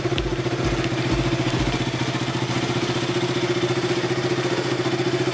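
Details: KTM RC/Duke 200/390 single-cylinder idling evenly, pulses three to four per second, no clicking or misses after corroded starter relay contacts were sanded; running normally.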